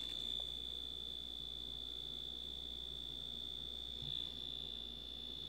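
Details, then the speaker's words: Dash egg cooker end-of-cycle buzzer after glue-dampening hack, cover still off: soft steady high beep at low volume, much quieter than before while still audible. "right that worked I'm happy with that so you still get your buzzer um it's just nowhere near as loud now"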